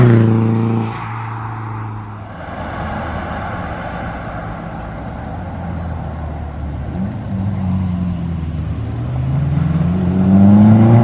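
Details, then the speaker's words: Subaru WRX after power loss, now with Tomei manifold, DW300 pump, 40-micron inline filter, stock coil packs back in, regapped plugs, new MAF: engine climbs smoothly through gears under boost without stumbling; pulls cleanly, best it's ever felt. "She feels good. She feels good. This is the best it's ever felt."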